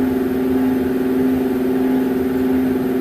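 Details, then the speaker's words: Woodgun's newly installed fan assembly, smooth at first but after a fire was lit, hums with a slow wah-wah pulse about 1.5 times per second; owner suspects a warped fan blade or failing bearing. "this one is making some sort of rhythmic harmonic sound if you can hear it but it's like wall wall wall I'm not sure why it's doing that or"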